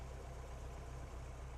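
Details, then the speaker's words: 1987 Toyota rock crawler with a TC-pump hydro-assist steering pump, at idle before a Radial Dynamics reservoir is fitted. Low, even idle with no whine yet; the pump normally whines once the fluid aerates in the reservoir. "I just fired this thing up cuz I wanted you guys to hear that it is pretty quiet. I mean, it's not a not 100% quiet like a church mouse, but it's quiet"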